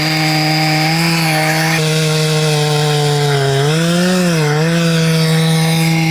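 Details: Husqvarna 266XP rebuilt from mostly NOS OEM parts, crank bearings not replaced, cutting with dull new chain: steady howl sagging and recovering as it bogs, coarse rattle underneath; owner suspects worn bottom-end bearings; rough running under load.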